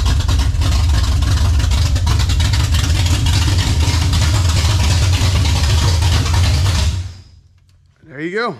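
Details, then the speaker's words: 1967 Camaro 454 big-block: loud, steady, deep even lope about seven seconds before shutting off, no stumbling, longest it has run; carburetor no longer bleeding over; healthy idle. "that's the longest she's ran"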